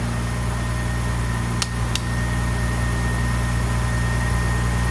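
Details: 2001 Honda Accord idling after jump start, alternator charging at about 14.3–14.5 V; steady even low hum, no misses or knocks, a couple of light clicks, running smoothly.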